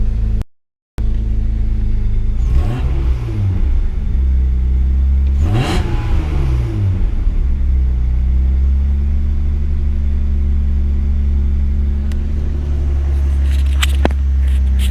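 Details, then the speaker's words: Mazda MX3 with Big Block (KL V6) swap, idle slightly high right after ECU reset while it relearns; steady low hum with blips settling to a raised idle, after vacuum leak chasing. "So have a listen to this. Slightly high idle at the start every time. It's still learning."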